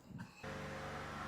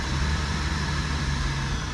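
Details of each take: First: 2005 Buick LeSabre 3800 that misfired and ran rich once warm, after repairs including bad O2 sensor: smooth even idle warming up in closed loop, no stumble or miss; O2 and fuel trims look good. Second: 2005 Buick LeSabre 3800, misfiring and running rich once warm, no codes, O2 sensor replaced, fuel pressure about 60: catches and runs with deep, slightly uneven beat building at the end; rough running.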